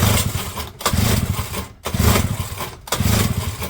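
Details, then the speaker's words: JLO small two-stroke auction engine with strong spark, on choke: four rope pulls, brief whirring each, no firing; won't start, owner suspects carburettor needs stripping, possibly flooded. "Now, I think we do have to pull this carb to bits."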